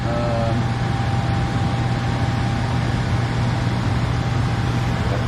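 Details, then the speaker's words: Furnace after replacing the transformer, control board, blower motor and capacitor, with no filter fitted yet: a steady low hum and even blower rush, with no cycling, surging, rattles or overheating; the furnace is running smoothly and normally. "Running great. Doesn't want to kick off or anything. It's not overheating."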